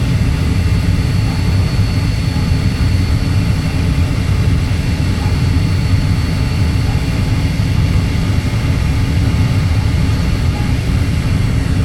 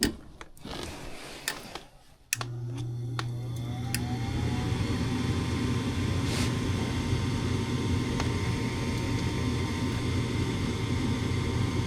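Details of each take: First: Natural gas furnace with intermittent no-start, burner firing while outlet pressure is adjusted from 3.77 down to 3.5 in. water column; steady deep even roar with no surging, popping or rumble, burner firing cleanly. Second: Furnace with intermittent no-start (owners had been flipping the breaker); on restart a few clicks, then the inducer spins up to a steady whir with no burner whoosh despite 26 V at the valve: bad gas valve not opening.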